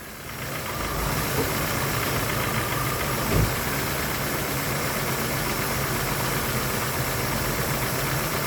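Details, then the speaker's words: Honda Civic engine idling and revving with a dull, labouring, uneven note under heavy hiss, struggling to run; a bad catalytic converter is suspected, with oxygen sensor response being checked after clearing codes. "You can hear it is really struggling to operate."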